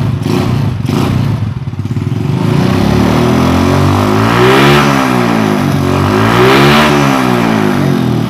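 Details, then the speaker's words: Motorcycle after ignition work with a bigger spark at the plug lead and the plug cap refitted: engine catches and revs cleanly in two rising and falling sweeps, crisp firing, sounding more aggressive; strong healthy running. "Nah, Anda bisa dengar suara gasingan mesinnya menjadi lebih gahar."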